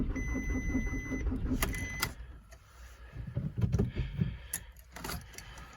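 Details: VW Golf Mk4 1.9 TDI (AGR) 1999 at 4 °C, new battery, compression OK, repaired Bosch VE pump: even cranking under a warning chime, oil lamp blinking, never catches after a brief start and stall; crank no start, cause unknown.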